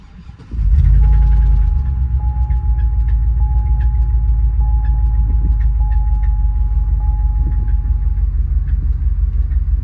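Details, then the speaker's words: Engine that failed at about 3,000 miles, with internal damage suspected but still showing oil pressure: slow start on cranking, abnormal, then a heavy, uneven low drone with an irregular beat; rough running. "You know, I figured the engine's already toast and I cranked it up twice already, so why not give you guys an idea what it sounds like. So immediately you're gonna hear it start slow, which is not normal."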